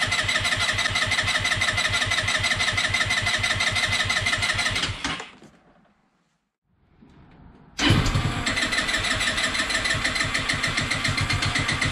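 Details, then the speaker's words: Peugeot Django 125 scooter with hard starting and poor running, just fitted with a replacement Speedfight 3 carburettor: long, fast, even starter-motor churning in bursts of up to about 20 seconds with pauses and no catch, cranking without starting. "i'll edit the video so that um it shows him halftime so i'm not going to sit here forever with you watching me just cranking the bike"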